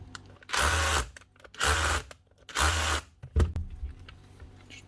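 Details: Makita 18V cordless SDS hammer drill: three short, even bursts spinning up cleanly on the trigger; motor and controller working normally.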